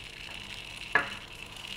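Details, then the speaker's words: Idle digital servos chattering with a faint crackling buzz and thin high tone, FrSky 2.4GHz telemetry Tx/Rx on a JR X-3810; suspected RF pickup from telemetry transmit, via the lead or directly in the servo; transmit power reduced, ferrites next. "so both chattering away I'm still going so the question is is it coming up the lead or is it actually RF pick up directly in the servvo"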